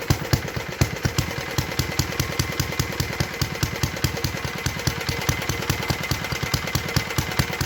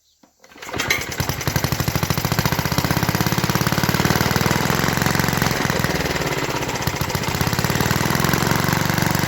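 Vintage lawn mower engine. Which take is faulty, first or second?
second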